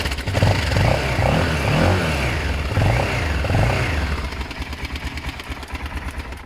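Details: BMW F650 motorcycle with no choke, after ignition coil work: fires promptly, revs cleanly through a few blips and drops back to a steady, even idle pulse. Starts and runs healthy.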